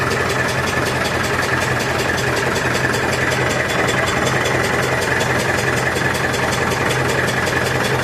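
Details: Massey Ferguson 65 diesel tractor after battery replacement, fast idle during alternator test: steady even diesel rattle with faint high ring over it; voltage about 13.2 easing to 12.9–13, alternator charging; normal fast idle.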